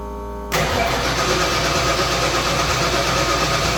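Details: 1989 Ford Fox Body catches after half a second of quiet into a ragged, uneven run; sparks fine but owner suspects it isn't getting enough fuel.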